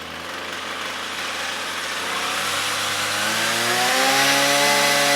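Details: Trash-picked Ryobi two-stroke string trimmer, about four years old, after repairing broken air box: buzzy note climbs smoothly as throttle opens, even with no stumbling; engine running properly.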